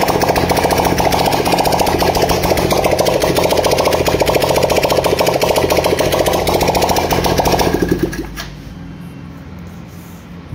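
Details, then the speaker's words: Honda Dream Yuga motorcycle after new piston, rings, cylinder kit and head valves/guides, silencer off: sharp rapid open-pipe popping at steady fast idle about eight seconds, then shut off; earlier white smoke gone. Normal running. "बंद कर दिया एक बार कोई smoke वगैरह कुछ भी नहीं आ रहा है पहले जो वाइट स्मोक आ रहा था"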